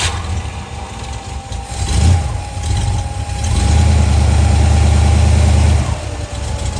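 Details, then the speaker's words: Mustang with an old 302 V8, started after a fuel filter change with a fuel pressure gauge fitted, about 4 PSI at idle and 5 PSI revved (owner plans to adjust): steady burble, quick blip, then a held rev that climbs and drops cleanly; normal. "Wow, we're only running like 4 PSI. Yeah, that's gonna get adjusted. I'll go ahead and rev but it does go up to about 5 PSI, and it likes to hang out around 3.5, 4 PSI, which if the car's happy, I'm happy."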